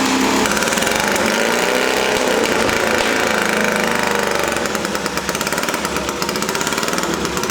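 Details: Small engine, previously refusing to start and suspected flooded, running in the workshop: fast popping about three to four beats a second, held steady; normal running.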